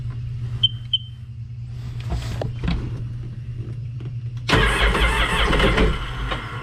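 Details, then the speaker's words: A few clicks, then starter cranking with no firing, so the engine turns over but never starts. On this 2006 Sea-Doo Sportster, unused about two years, the plugs and coils are in; water in the gas is suspected, or possibly a clogged fuel pump. "Maybe so my guess is it probably has water in the gas and that's the reason why it's not starting"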